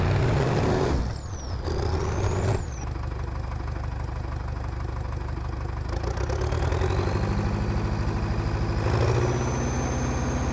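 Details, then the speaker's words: TD8E bulldozer diesel after topping up low transmission oil with universal tractor oil: holds a strained, labored low drone like a helicopter, struggling to raise rpm when pushing; bogging under load, cause not yet found. "I am still having that issue where the engine changes sound and it's having a hard time um getting the RPMs uh high. Um it it sounds like a helicopter when when you're trying to push something."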